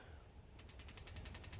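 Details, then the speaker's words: Kingdura 48,000 BTU propane pyramid patio heater with quartz glass tube, igniter button pressed repeatedly after over 2 minutes purging air: rapid crisp ticking about eleven clicks a second, no flame whoosh; igniter sparks but pilot won't light. "We're still not getting any juice here. Um, it does suggest, even though I know that you can see the crackle and hear the crackle, that you, it tells you that you should then, um, put a long stem lighter through the glass tube to light the pilot."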